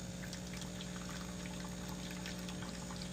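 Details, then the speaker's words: European 220 V DeLonghi espresso machine run via transformer, brewing after warm-up: steady low even pump drone; customer complained of a loud pump and low coffee output, but the pump sounds normal on the bench. "It's just normal. I'm not sure what was the issue before,"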